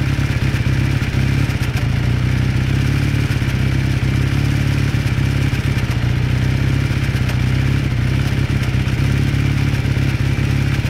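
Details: 1981 Kawasaki KZ440 twin during warm-up: steady idle with a dull clatter on the low exhaust beat; knocking present, cause unclear.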